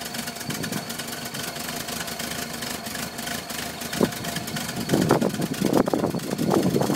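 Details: 1978 VW Westfalia bus with a weak, irregular idle that surges and sags with uneven chuffs, never settling into a steady beat; rough idle and stalling.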